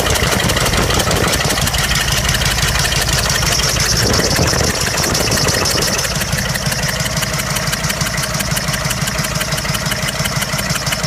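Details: 6.5 Detroit diesel V8 at idle: clattery, uneven, stumbling beat from a misfire on cylinder number 6.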